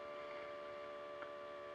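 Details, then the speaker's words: 2007 Honda Goldwing ABS rear shock adjuster pump after refilling with oil: small electric motor whirs with steady high tone, loaded as it pumps oil properly to the rear shock. "moteur électrique est contraint parce que là il envoie bien l'huile"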